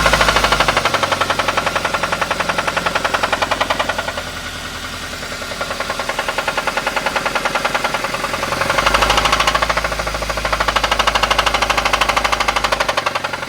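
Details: Toyota Avanza engine with harsh, fairly regular knock about 2.5 per second over idle and through revs; deep internal knock, possibly oil sludge damage suspected, source unconfirmed.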